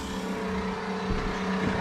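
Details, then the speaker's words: Newly installed 12V 65 L/h reverse-osmosis watermaker on a sailboat, running on fresh water in rinse mode with the boost pump on: steady low hum and even pump drone, a bit noisy but running normally. "Voilà, qui est maintenant en route. Bon voilà, ça fait un peu de bruit mais c'est pas la fin du monde."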